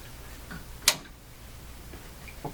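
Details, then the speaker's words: Emerson 34C tombstone tube radio, volume down, audio tube pulled: irregular sharp pops and crackles persist, implicating the power supply, suspected rectifier tube; 6V6 fitted where 6F6 specified. Not confirmed. "still hear the popping so what that implicates I'm going to turn the radio off for a moment that implicates the power"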